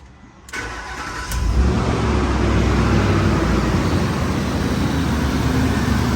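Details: 2005 Ford Explorer 4.6 L after EGR valve replacement (customer reported sticking valve, vacuum leak sound): quick crank, clean catch, steady even idle with smooth low drone, no misses, knocks or leak noise; pending MAP sensor high code, runs healthy.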